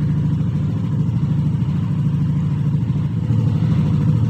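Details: 2021 Yamaha NMAX 155 scooter idling smoothly and evenly with no misses, knocks or odd noises; it had suddenly refused to start despite a 99% battery, traced to a blown 7.5 A signal fuse.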